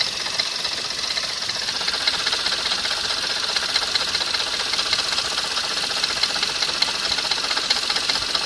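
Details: Skoda Fabia RS: fast light ticking at about two and a half per second over a thin, hissy running engine; knock from the engine or its accessories, source not yet pinned down.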